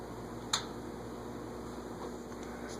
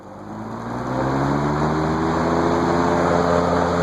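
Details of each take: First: GE 20-inch plastic-blade box fan set to speed five: a quiet, steady electrical hum with no moving-air whoosh; the motor is energised but the dirty blade does not turn. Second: GE 20-inch plastic-blade box fan stepped up through its speed settings: a low blade hum climbs as it spins up, then holds a steady, even whoosh on high; the fan is running normally.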